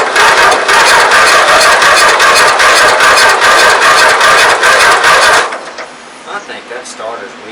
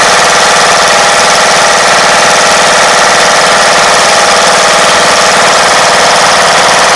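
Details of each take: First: 1994 MTD Vari Drive 5-speed yard tractor, flathead 11.5hp Briggs & Stratton, being revived, spark plug swapped, compression untested: sluggish, labored cranking about two and a half turns a second, stopping without firing; starter seems weak, cause unconfirmed. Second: 1994 MTD Vari Drive 5-speed yard tractor, 11.5 hp flathead Briggs & Stratton single, jump-started after revival: loud steady chatter at fast idle, even and unbroken throughout, engine running properly.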